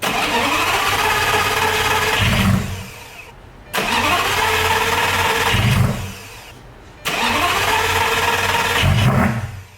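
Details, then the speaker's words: Lamborghini Gallardo after an oil change with 10 quarts of Castrol 540 Edge, cranked to fire three times to prime the system: each crank catches into a strong rising roar before cutting off; healthy cranking and start-up. "Then after that, I let it run, make sure engine oil pressure looks good, check for any leaks, let everything get up to desired temp."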